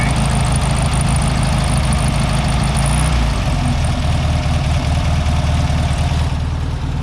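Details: 1967 VW Beetle, first start after sitting for years, oil not yet checked: even, low putter at a steady idle with no knocks, misses or hunting; the old flat-four runs smoothly.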